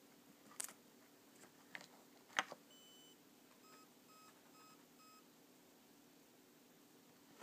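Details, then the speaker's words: E-Flite 60A ESC plugged in with motor: five faint short arming beeps barely above room hiss, far quieter than normal, motor fine but won't respond to throttle; faulty ESC. "know if you can hear that but it did do the beep beep beep beep beep except it was really quiet"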